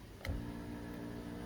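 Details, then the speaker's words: 2015 Buick Verano driver's power seat works only intermittently: sharp click then low steady seat motor hum; motor clicking shows motor good and voltage present, diagnosed as faulty power seat switch. "sometimes it goes sometimes it doesn't go back sometimes it doesn't go forward up or down so let's have a look here so i can hear the motor clicking and pushing this switch backwards"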